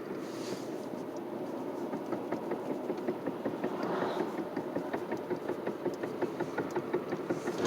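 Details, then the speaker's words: 2007 Chevy Impala after recent wheel bearing, rotor, caliper and pad replacement; rapid fairly even clicking knock tied to wheel speed while turning, with shake and heavy steering; cause unclear; knocking when turning. "i have this noise and shake in my car and i want to know what it is"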